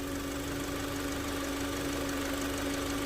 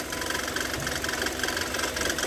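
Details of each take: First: Kia Sorento petrol engine at idle with water poured on the belts: steady even idle, no belt noise; previously wet belts caused noise and battery light. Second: Kia Sorento idling with water poured on the accessory belts: rapid, harsh chirping squeal as the wet belt slips; owner reports noise and battery light whenever driving in rain.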